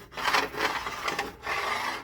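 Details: Hemi roller lifter from a good-looking lobe rolled back and forth on smooth glass: soft, even, quiet rub with no clicks or catches, a normal lifter.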